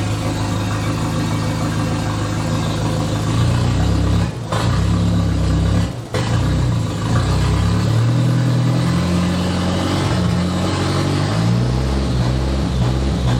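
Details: "!200" engine with exhaust cut and catalytic converter out, running worse since, coils being swapped: revs rise and fall unevenly, sagging and catching twice as if cutting out. Feels fuel-starved despite about 38 psi fuel pressure. Stumble under throttle, cause unconfirmed.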